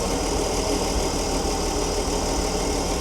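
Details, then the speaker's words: Old Ford D Series petrol fire truck after sitting 16 years, possibly custom headers, earlier lifter noise gone: steady, even idle with a smooth low rumble and no knocks or misses, until the carburettor bowl runs empty; normal idle. "She She idles nice. Not often these old petrols idle when they've been sitting so long because all the carby dries out and things are blocked, seals are buggered"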